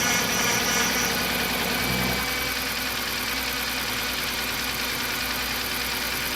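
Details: BMW 328i E90 after an N52 engine swap with a used engine, first start. Steady, even six-cylinder petrol idle, no knock or misfire; normal idle. A fuel fitting was leaking and the power steering pump is noisy until bled.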